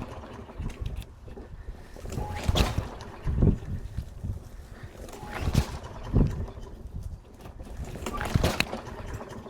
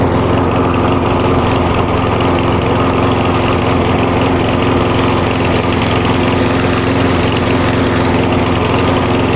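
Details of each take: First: Walk-behind lawn mower just out of winter storage, fresh gas added and primed: repeated cord pulls with brief sputters that never settle, trying to start; hard starting blamed on a fuel problem. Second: Walk-behind single-cylinder lawn mower after winter storage, warm after about 10 minutes idling: steady even idle, no misses or surges; healthy after fuel-related starting problem.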